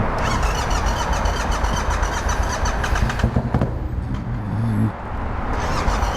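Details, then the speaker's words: Yamaha MT-07 twin after backfiring through the intake: lumpy, uneven running with irregular stumbles as one cylinder misfires while spitting fuel. A stuck-open injector flooding that cylinder with gas is suspected. "I think that injector's stuck open, and that's why it's never been never firing. It's just flooding that cylinder with gas."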